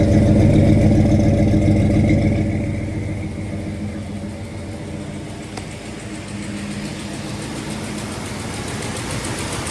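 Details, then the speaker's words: 1979 Dodge Little Red Express Mopar V8 with new engine, first test drive, about 185° and 50 psi oil pressure: drops from a rev to warm idle with a faint rhythmic puffing tick from an exhaust leak at the header. "You can hear a little bit of our exhaust leak over here. We're not going to go far."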